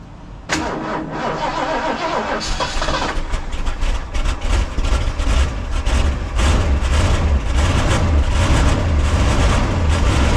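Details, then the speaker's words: 1977 Ford LTD station wagon, Copart salvage, fed fuel into the carburetor bowl: cranks, catches, runs ragged with uneven chuffing and surges, running only briefly on the added fuel; owner suspects a bad fuel tank, as the gauge reads empty. "I'm going to see if I have any fuel or something I could put in the uh car bowl and see if this thing will run for more than a few seconds"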